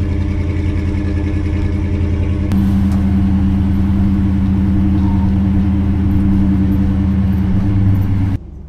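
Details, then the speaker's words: 1964 Ford Galaxie 500 XL with its original engine reinstalled, rebuilt carburetor and fresh fuel, on the lift and now quiet: deep, steady V8 burble firms up after a couple of seconds and holds smooth until switched off; normal idle. "sounds good to me now we got it nice and quiet we got it running on its own"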